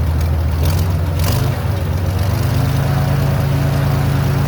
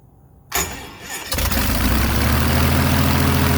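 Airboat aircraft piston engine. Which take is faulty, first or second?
second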